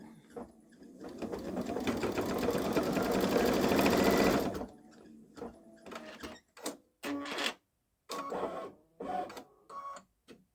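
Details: Baby Lock Solaris embroidering a Christmas train design on a sweatshirt with medium-weight cutaway stabilizer: fast steady stitching chatter with a thin high squeak; owner has never heard it before and wonders about trying a different embroidery foot.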